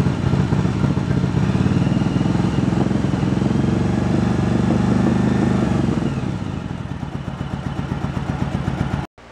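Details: 1986 Yamaha Virago 1100, sat about seven years with old fuel: uneven, lumpy idle skipping beats. The front cylinder drops out at idle, returns when revved or when its carburetor is feathered; fuel seen drawing around the pin.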